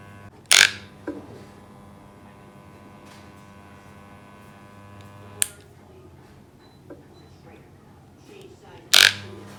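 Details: Electric hair clipper, reportedly loud before repair, test run after the fix: steady, even buzz, broken only by a few sharp handling clicks; normal running.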